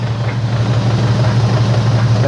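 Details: AWD car on a lift in gear with the wheels spinning at about 20–30 mph, heard through a long screwdriver: a steady low drivetrain hum with no whirring or grinding, so this wheel bearing is healthy.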